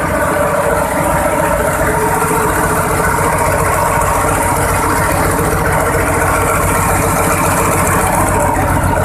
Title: Vta 28 cummins 725hp first start after overhauling by nfc marine